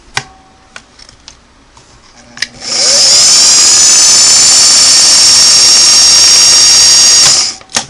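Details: Vintage Singer sewing machine after internal motor belt replacement, belt set slack: clean, steady high motor whine for about four seconds, no slipping or flutter; motor runs smoothly.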